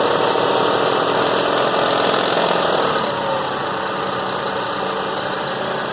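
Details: 1997 Toyota Avalon petrol engine idling with a busy, fast metallic rattle/clatter running steadily over its hum.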